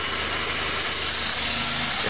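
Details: 1988 Subaru Justy EF12 1.2L carbureted 4WD, revved: marbles-like metallic clatter, not heard at idle; copper debris on dipstick, power loss; owner suspects main bearing oil starvation; engine knock.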